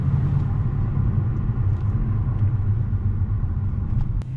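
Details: Audi S5 with an aftermarket exhaust, driving under light road load after the cylinder 8 spark plug was cleaned for misfire codes 00768/00776/00773/00769. An even, deep exhaust growl with no skipped beats, no misfires felt, normal running.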